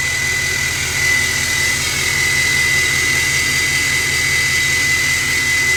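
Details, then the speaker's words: 2024 GMC Sierra 2500 AT4X Duramax L5P diesel, new turbo, not yet tuned, check engine light on: steady high-pitched whistle over a smooth idle, like a jet on the ramp; loud but normal turbo noise. "Sounds like a airplane. I think the new turbo car really changes the sound of this truck. By the way, it is really, really loud."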